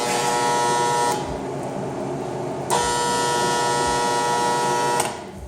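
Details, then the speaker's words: Welding machine started up: harsh, loud electrical buzz in bursts of a second or more, which has come and gone before. Owner suspects metal shavings stuck in the internal TIG relay; not confirmed. "I start up my welding machine and listen to this. [Music] freaking noisy. Holy crap."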